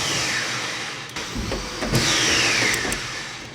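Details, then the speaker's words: 1994 Opel Corsa B GSi, long stored, jump-started with a booster pack: high whirring spin that winds down with no cranking, the starter spinning free without engaging the flywheel. The fuel pump also rattled. "It sounds pretty bad Try it now The starter wheel is empty"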